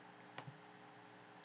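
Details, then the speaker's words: 2.5-inch SATA II laptop hard drive on a SATA-to-USB2 adapter during a disk scan: quiet room with sharp, isolated clicks about a second apart, signs of mechanical failure, possibly from a loose connection. "But the disk was definitely making some mechanical failure sounds. I mean, there are signs of mechanical failure. We can hear that."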